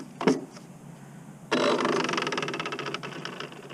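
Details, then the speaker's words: Redcat Kaiju RC with 12T pinion before a speed run: handling clack, then raspy, gritty whir with rapid chatter fading as it spins down; owner suspects spur gear mesh set too tight. "something don't feel right I don't know if I should run this right now or not you'd hear that I think I'm too tight on that spur"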